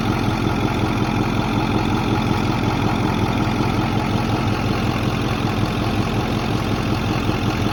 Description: Truck runs fine, the sound comes and goes when idle. Sounds like two spoons clicking.